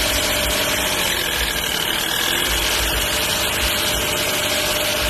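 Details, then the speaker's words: Engine with sharp hiss and fast puffing heard when releasing the throttle, plus ticking on acceleration; suspected left-side exhaust pipe leak, not confirmed. "个声音一般是排气管漏气或者活塞漏气。现在我们听到应该是左边这个排气管漏气了，听到那个声音没有？"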